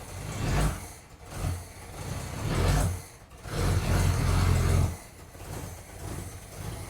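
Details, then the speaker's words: Freshly rebuilt 2.8 engine in a 1982 Chevy S-10 pickup after a tune-up, just started: surges and sags unevenly with a puffy, chuffing exhaust note, sounding better than before but still rough; exhaust leaks heard down by the catalytic converter. "So we also have some exhaust leaks. I can hear it down by the catalytic converter."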